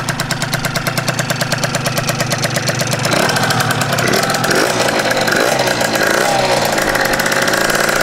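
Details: Scooter two-stroke engine on its first run after the build, carburettor filled with fuel, started on choke with the garage door open: crisp, even putter settling into a steady idle with no knocks or misses, so the engine sounds healthy. Normal idle.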